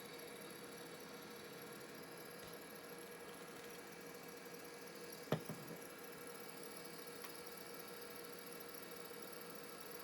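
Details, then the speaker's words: Old Conner laptop hard drive (circa 1992 or earlier) in an EZ-Gig adapter: spins up with a faint steady high whine and one sharp click, sounding rough and horrible; noisy drive. "Drive spins up. Drive sounds absolutely horrible."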